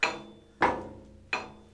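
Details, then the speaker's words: Vintage Massey Ferguson tractor halfshaft pulled in and out after an oil seal change gives three sharp metallic clunks with ringing decay; end float far beyond the 8–10 thousandths spec, needing one or two shims removed. "and that is far too much that is way more than ten thousands of an inch"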